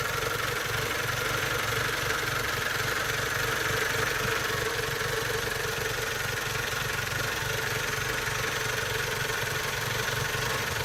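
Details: Mazda Protege5 idling with an uneven pulsing beat and a slight wavering note; rough idle, cause unknown.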